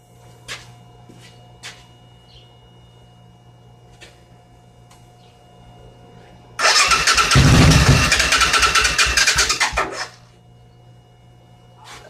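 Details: 1986 Suzuki Intruder motorcycle project, weak battery: starter cranks about three seconds with ragged, uneven firing pulses that begin to catch but never settle into a run.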